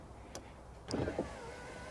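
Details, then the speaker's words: Early-2000s Toyota Camry rear passenger-side door, window lowering: a short click then smooth steady motor hum with no knocking; raising the window gives a rapid machine-gun banging from the regulator or motor. "If we bring it down, it sounds okay."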